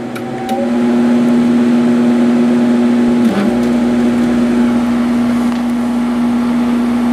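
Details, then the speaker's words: Sharp 8500 BTU window air conditioner test run just after installation: steady, even hum with smooth low drone that barely wavers, runs cleanly; sounds good as usual, normal running. "Sounds good as usual."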